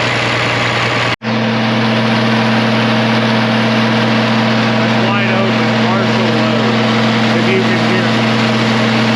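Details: 1966 IH 1206 Wheatland diesel tractor with rebuilt head after head gasket failure, warming up under dyno load for break-in: loud, even drone with steady whine holding a constant note; healthy and pulling fine.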